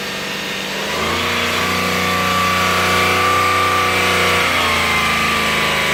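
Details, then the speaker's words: 2008 Subaru Outback EZ30 flat-six, revving: smooth even note climbing cleanly and settling back, no power steering whine or knock; healthy engine. "Oh, listen to that. No power steering whine."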